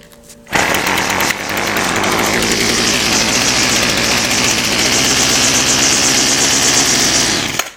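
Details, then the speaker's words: Weedeater Featherlite FL25 two-stroke trimmer on half choke: fires and screams steadily for several seconds, then dies abruptly. Fuel is evidently not getting through. Runs briefly then dies. "it dies and usually if I crank it a little more and that's all I'm going to get out of it so obviously fuel is not getting somewhere"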